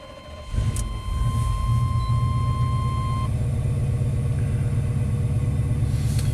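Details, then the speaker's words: 1991 Chevy K1500 V8 with aftermarket headers, cold start in open loop after relocating the O2 sensor downstream: low lumpy, irregular idle, running rough and seemingly down on power; owner suspects something mechanical, maybe timing off a tooth, cause not yet found. "I mean, even right now in open loop, it's kind of running rough. I really think they should have more power and run smoother than this."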